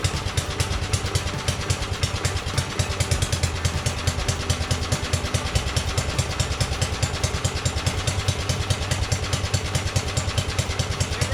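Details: 1982 LongLife 36" lawn tractor, 40-year-old barn find, after carburettor needle work, with no fuel running out of the carb: even, steady chugging about two pulses per second, no misses or rattles; normal running.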